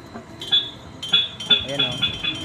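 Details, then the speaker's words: 43-meter concrete pump (pumpcrete) cleaning in reverse. Sharp, bright ticks about twice a second over a faint hum show the cleaning ball rattling through a clean line, so the pump should be shut off. "naririnig na yung tik-tik, tinitik-tik doon ang kasama ko. So ibig sabihin, nandun na, malinis na, kailangan nang patayin."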